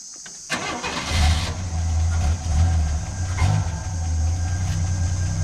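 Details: Ford XW sedan with a 250 pre-crossflow six and C4 auto, stored for 17 years: brief crank, then catches quickly and settles into a steady idle with a couple of light revs; a clean, healthy start.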